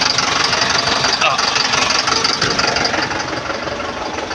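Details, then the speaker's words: Diesel truck idling after injector replacement and a new battery, with knocking previously blamed on bad fuel and injectors: even diesel clatter with a steady beat and no heavy knock or missing; normal idle. "So okay na yung andar niya ganda na pino na ulit so ito talaga yung andar niya"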